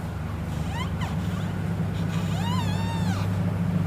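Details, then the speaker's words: Royal Enfield Interceptor 650, front wheel spun with caliper removed: short chirping squeaks rising and falling over a low hum; noise from inside the front speedometer drive/speed sensor, not the caliper. "तो यह आवाज इसके जो speed driver जो speed sensor है उसके अंदर से आवाज आ रही है"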